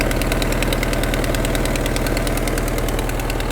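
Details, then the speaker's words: 1995 Vauxhall Cavalier X20XEV petrol engine, 58,000 on the clock, warm, idles with light steady ticking about three per second over a low hum; owner suspects the auxiliary belt tensioner, usually clears with revs. "you know obviously the able to hear that flipping pretty certain that it's actually the tensioner that's causing us the problem"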